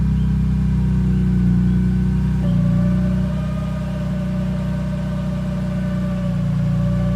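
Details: BMW E46 M3, engine running with the clutch pedal up (engaged): a steady whine steps up in pitch, then holds over the engine note; cause unknown.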